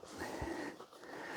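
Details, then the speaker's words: Charity-shop drip coffee maker brewing: wheezy, sputtering, cough-like gurgles as the water boils up, normal for these. It possibly has too much water in it, gets quite hot and works fine. "These things always sound like they've got bronchitis. They're coughing and carrying on."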